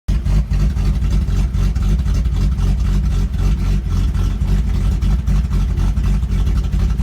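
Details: Rough idle on a 1978 Datsun L28: deep, choppy, lumpy idle lopes unevenly like a big cam, caused by a vacuum leak inside the brake booster.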